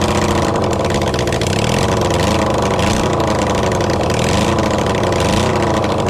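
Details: Kawasaki Zephyr 750 under restoration, carbs fitted, refuelled, running on a bit of choke with string as throttle: steady busy four-cylinder idle with slight rev swells, no misses or knocks. Normal idle.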